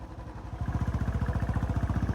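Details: Motorcycle back in form after repairs, riding out of traffic; deep, even thumping pulses about twelve per second pick up smoothly as the bike pulls away, steady healthy engine. Normal running.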